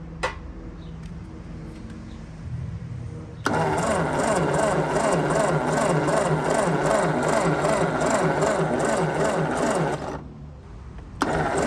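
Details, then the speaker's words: 1952 Ford 8N tractor, owner suspects stuck rings; new 12 V coil with resistor: steady starter churn, about 167 beats a minute for six seconds, no firing pulse. Cranking no-start. "Okay. So, basically, since I'm suspecting stuck rings, I am I put some uh super thick oil, like 90 weight in there. So, that'll bring my compression up."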